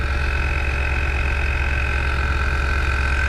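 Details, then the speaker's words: 2016 Infiniti QX80 with sagging rear, compressor already known to work, just after air leveling switch replacement, vehicle on a jack; constant high buzzing whir over low hum as the rear lifts; compressor running normally. "I know it wasn't the a compressor cuz that was working the only other thing would be the shocks were bad it should shut off automatically"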